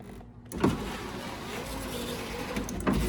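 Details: 1995 Ford Mustang GT power window after fitting the spare replacement motor in place of a bad one: clunk, steady whir about two seconds, firm stop; window runs smoothly, normal operation.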